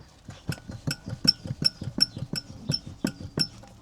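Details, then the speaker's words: Land Rover Discovery 2 TD5 showing the Three Amigos warning lights, jacked up: sharp metallic clunks as the wheel is rocked side to side and up and down, suspected worn wheel bearing. "And an up and down. Yeah. That sounds like a wheel bearing to me."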